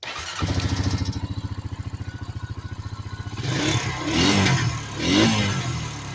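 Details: 2006 Honda Rancher ATV after carburetor cleaning, choke off: engine catches and settles into a steady, even idle, then revs up cleanly twice and drops back smoothly; normal running.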